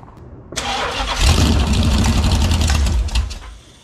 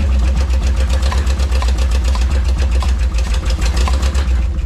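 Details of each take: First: Ex-motorhome Mopar 440 big-block V8, "ran when parked", on a dolly with headers, old carburetor and no cooling system; fires after a short crank, runs loud and choppy about three seconds, then shut off. It runs, wanting to idle. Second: Ex-motorhome Mopar 440 V8 on a dolly with headers and an old carb, first run: loud, lumpy running with uneven pops through the exhaust beat; owner suspects ignition or electrical cause, unconfirmed.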